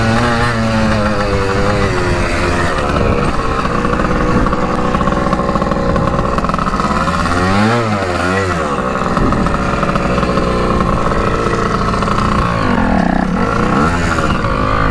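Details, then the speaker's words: 1984 Yamaha IT200 two-stroke dirt bike running on a worn piston and scored cylinder with one ring: ragged buzz that surges and sags as the revs swing, rough but still making some power. "yeah it runs pretty crappy it's got some power with that one ring though hmm it's honestly not that bad"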